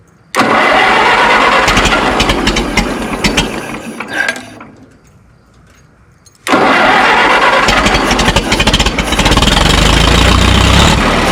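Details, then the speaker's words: Minneapolis Moline Z tractor after rewiring, cool evening, choke pushed in: starts, labors and nearly dies at a slow, lumpy idle before catching again; owner suspects low idle set screw, idle speed too low, carburetor idle screw to be adjusted. "It seems like it has a like a really slow idle."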